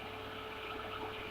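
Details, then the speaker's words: Waeco-style 12 V car fridge with Danfoss-type compressor after fitting an aftermarket thermostat relay switch: steady even hum with light fan buzz, compressor pulling down temperature; running normally. "it goes quick stop's going so it's as simple as that guys and we can hear the fan buzzing away in there"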